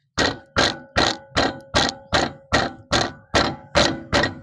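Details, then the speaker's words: Maruti Alto front wheel, tyre tapped by hand about two and a half times a second; each tap brings a hollow metallic clack, heard as knocking on rough roads, worn caliper guide pin needing replacement. "இந்த பிரண்ட்ல தட்டும்போது என்ன நடக்குது அப்படின்னா ஒரு metal noise வருது இல்லையா"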